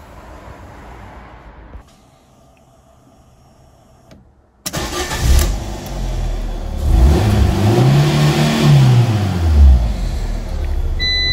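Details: Ford KA, 2010–2011, after rear-end crash: once crash fuel cut-off reset via ignition cycling, engine catches straight away, settles and revs up and down cleanly with no stumble; running normally.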